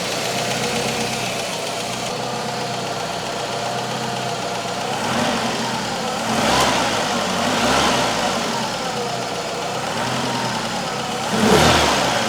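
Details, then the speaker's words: Citroen CX GTi after head gasket job, skimmed head and valve adjustment, warm at 57 degrees on the gauge: smooth, even idle with light mechanical hum and gentle swells, no ticking or knock; normal idle. "It's sounding pretty nice. What I want to see is the fan kicking in when it gets hot enough for that."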